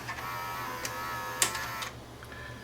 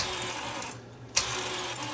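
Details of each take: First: Sony SLV-R1000 VHS deck after a failed owner repair of the blue gear, with a capstan motor fault and a failing mode encoder switch: a quiet motor whir and crisp mechanism clicks as it unlaces and shifts between rewind and play. This transition is normal. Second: Sony SLV-R1000 VHS VCR, gears oiled, cover off: light steady whirring chatter with a sharp tick from worn plastic reel hubs and gears; only replacement would quieten them.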